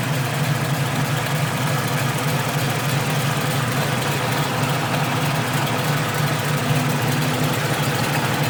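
A steady idle with a rapid, uneven puffing tick riding over the low rumble points to an exhaust leak.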